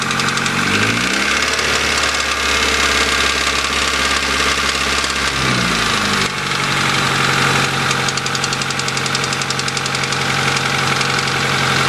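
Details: 1992 Honda Accord petrol engine idling and briefly revved: rapid, uneven ticking-knock over the hum; owner unsure if rod knock or just needs an adjustment, oil just topped off. Cause undiagnosed.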